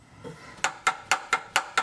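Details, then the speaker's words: 1997 Mitsubishi Eclipse GSX: sharp metallic clunks about four a second from new rear toe arms, loud and scary from inside the car; the noise was traced to the toe arms. "So I have one more thing to show you. My new rear tow arms. They make a really loud clunking"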